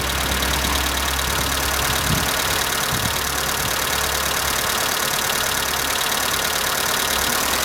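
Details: Skoda Fabia at cold morning idle: steady fast tapping about three per second over smooth idle; owner suspects hydraulic lifters, but dealer replaced all 16 in three visits and the noise persists; cause unconfirmed.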